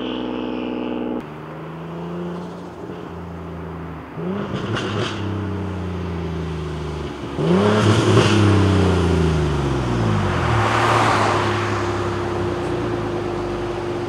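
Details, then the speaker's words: Single-turbo 370Z Nismo on a road drive after an exhaust-leak repair, on a hot day near 100 degrees. It pulls cleanly through the revs with a smooth, even exhaust note and no leak ticking or puffing. Normal exhaust note under acceleration. "i think it's safe to say that she's nice and healthy sounds good looks good"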